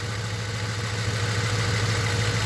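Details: 2008 Ford Crown Victoria V8 with a cylinder one problem: rough, uneven idle with a lumpy low pulse and a missing beat, idle unchanged when cylinder one coil is unplugged; idle misfire, cause unconfirmed.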